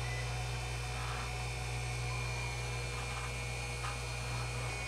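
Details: Hoshizaki nugget ice machine after its 5-minute gear-motor purge cycle and with the compressor kicked on: steady motor hum, faint high whine and soft crunching as ice forms and is pushed up through the slots; ice making is normal.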